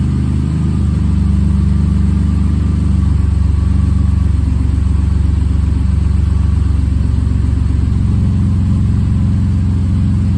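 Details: Rebuilt bored-over 3.9L V6 in a Jeep JK after the oil pressure relief valve fix, warming toward operating temperature: steady, even low rumble at idle with no knocking or ticking; smooth and healthy.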